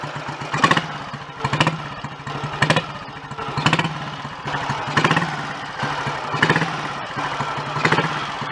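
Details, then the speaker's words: Royal Enfield Model G 350 single after restoration fixes to clutch and charging: slow even thump at idle about one beat a second with mechanical chatter; surprisingly quiet magdyno gear train, running smooth and healthy. "That really sounds like it's ready now."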